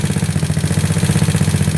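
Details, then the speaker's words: GY6 scooter engine, 150cc bored to 61mm, A9 cam, PD24J carb jetted 35/108. Cold start idling on the automatic choke: steady low thrumming with even pulses, no misses, before it levels out to about 1800 rpm near 14.7 AFR. "before the joke close these autos don't really are pretty crappy a manual choke is the best way to go so now I got to wait for it to level out"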